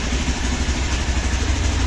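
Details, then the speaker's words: Hero Xpulse 200 4V motorcycle cold-started after sitting about one month; fast, even low thrum with no knocks or misses at raised warm-up idle, expected to drop to 1000 rpm; normal cold high idle. "आप देख सकते हो bike अभी ideal तो होने वाली है जब 1000 आरपीएम पे ए जाएगी तब इसे बैंड कर देंगे"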